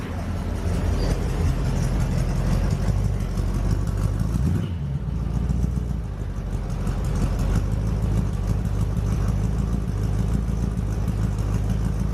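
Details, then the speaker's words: 1936 Ford 5-window coupe after a shop fixed starter Bendix jamming; fires right up and runs with a strong even rumble, revving and settling smoothly with no knocks or misses. Normal running. "Hey, no, this thing just fires right up. Let me get a little video of this sound quick."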